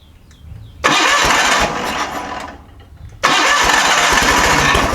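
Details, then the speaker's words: John Deere 318 garden tractor with Onan P218G engine, good battery and spark, fuel pump working: two cranking bursts of about two seconds each, steady starter churn that never catches; carburetor needle valve stuck shut blocking fuel. "it's looking like right now we need to address a fuel issue"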